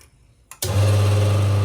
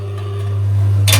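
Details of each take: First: Aging Rocket rotary-pump espresso machine whose water level indicator had stopped working, after power cycling and refreshing the tank water: the pump starts with a click, then a steady, even low hum with no rattle or surging. Normal operation restored; scale is suspected. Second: Rocket espresso machine with rotary pump, water level indicator showing nothing: steady low pump hum drones on while cups on top rattle, boiler keeps filling; pump runs on until it finally senses full and stops.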